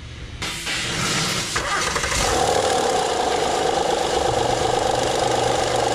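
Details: 2009 Honda Pilot 3.5L V6 idling, light uneven ticking, rattling chatter in the engine bay from a failing leaking hydraulic timing belt tensioner, before tensioner replacement.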